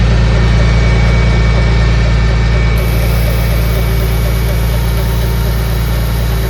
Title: Engine Noise? Can anyone guess the issue of the ticking noise? What is it?